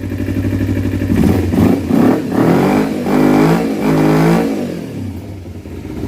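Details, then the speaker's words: 2012 Kawasaki Ninja 250R after carb install, still warming up: quick blips flatten out and fall back, only reaching about 8 or 9,000 rpm. Owner says it is getting too much air and expects reconnecting the airbox properly to fix it. "it's definitely getting too much air I can tell cuz it only makes it to like like 8 or 9,000"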